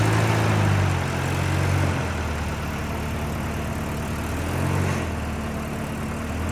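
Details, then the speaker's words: 1989 Volvo 740 GL saloon left in a field for at least 3 years, started straight up with compression confirmed and no coolant in it. A smooth, steady four-cylinder idle with only slight gentle swells and no tapping or misfire. A normal idle. "and it started straight up like it's in use every day so um good news terrible for Content"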